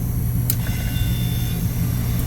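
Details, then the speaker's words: Glycol beer-cooling unit after the condenser fan motor's rotation was checked: steady, even fan hum with no squeak, moving air across the condenser; fan motor running healthy. "No more squeaking sound coming from the condenser fan motor, that's a plus. It's moving air right across the condenser."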